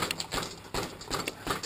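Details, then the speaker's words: Pre-race bike check, bouncing the front wheel: sharp hollow clunks, about two a second, mean something is loose; rocking with the front brake held shows movement at the top headset bearing, indicating a loose headset. "for an extra clunking sound which we have here so this extra tells us something's loose but we don't quite know what"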